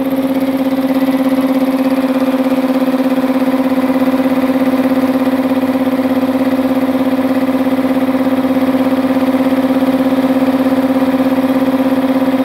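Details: Multipro 2 HP (2.2 kW single-phase) air compressor after cleaning dirt from the check valve, filling tank: steady, even pumping hum about 200 strokes a minute, no hiss or stutter; leak fixed, normal.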